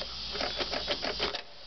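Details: 1990 Nissan pickup, manual five-speed, new battery and new starter already fitted; clicking comes from main relay and second blue relay under dash: fast dry relay chatter about seven clicks a second, starter never turns; clicking with no crank.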